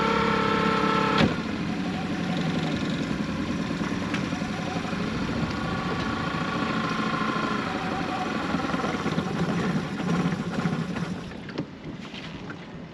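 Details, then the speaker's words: Sailboat outboard, running at the dock: the idle stumbles and surges instead of running clean. The owner suspects a spark plug issue or fuel starvation. Cause unconfirmed. "And yeah, I don't know whether this is some sort of plug issue or some sort of fuel starvation issue."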